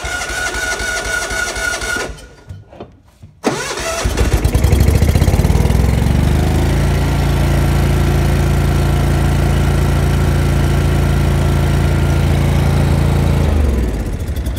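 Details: Lincoln Ranger 250 gas engine-driven welder with a no-start, after about a gallon of gas was added and it overflowed; fuel feed issue suspected (pickup tube, hose or blockage): cranks, goes quiet, then catches into a steady even idle.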